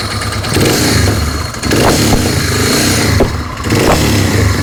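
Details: Suzuki DR 650 single-cylinder motorcycle at idle and a few throttle blips. Single thumps with a loose clatter riding over them. Abnormal engine noise, cause not identified.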